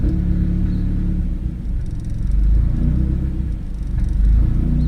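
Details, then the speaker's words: Big-turbo Audi A4 B7, just started after installing and calibrating a drive-by-wire throttle body; a deep, low rumble holds a settled idle with only mild swells and no stumbling, and the DBW works properly; normal idle. "Well, it is working. My drive-by-wire is working. There you can check the revs as well. You can even hear it."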